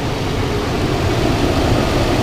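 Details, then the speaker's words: Toyota 4Runner 4.0 V6 idling after replacing leaking head gaskets, fresh 5W-30 oil: smooth even low rumble, no knocks or ticks, no check engine light or warning lights; normal idle, running well. "no check engine light no lights I don't hear any noises it's running well"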